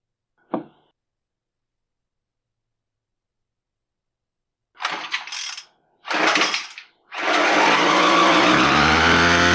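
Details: Brand-new TroyBilt TB25SB string trimmer after replacing the ignition coil, which was why it would not start: two sharp cord pulls, it catches on the third and settles into a steady buzzing run, so it runs normally.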